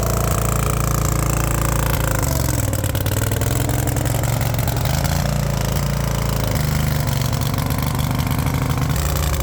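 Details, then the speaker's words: Wacker RD880 roller compactor, small petrol engine, revived after sitting about 10 years: holds a steady, even chug with no misses or knocks. Running well, though the steering pivot does not work. "but it's running actually pretty good which is cool"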